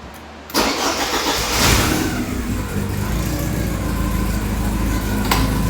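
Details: 1984 Porsche 944 after rewiring and fixing a surging idle from an intermittent number two cylinder misfire: quick crank, catches right away and settles into a steady, even idle with no misses or knocks; normal start and idle.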